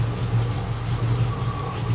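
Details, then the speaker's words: 1979 Porsche 928 V8 at idle: a deep, uneven lope with irregular dips, a misfire. Stuck fuel injectors are suspected; cylinder six's injector pulses weakly by touch. "So, I think I think most of the problem right here is uh stuck injectors. But that's one quick way you can check to see which cylinder is doing the misfiring."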